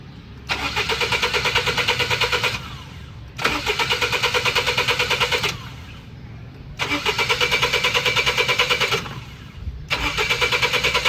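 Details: Car won't start: four long bursts of fast, even starter cranking, about three turns a second, and the engine never catches each time.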